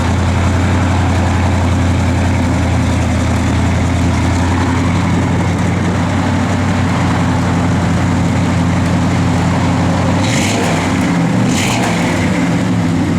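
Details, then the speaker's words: 1967 Oldsmobile 442, 455 ci V8, Holley dual-feed 4-barrel, Edelbrock intake, factory exhaust manifolds, Flowmaster dual exhaust, just started: deep, steady, even idle with no knocks or ticks; judged a good-sounding, healthy motor. "good sounding motor. I'll tell you what, I think it's good."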